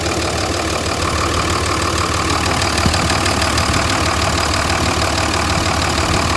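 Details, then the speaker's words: 2004 Ram 3500 with the 305hp/555tq common-rail Cummins diesel at 257,000 miles, not yet warm: steady idle with even clatter, no knocks or misses, exhaust sounds good; healthy engine. "So it sounds really good to me. The exhaust sounds good. The engine doesn't make any bad noises or anything."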